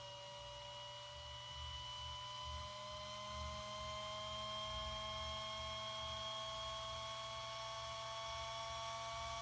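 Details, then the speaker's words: RC car motor cooling fan, run with only the ESC powered from an external 6V NiMH battery. A thin whine climbs steadily as the fan spins up to a loud turbine-like scream. The fan is too noisy, and the car has two of them. "donc ça fait un bruit de turbine moi j'aime pas ça en plus y en a deux"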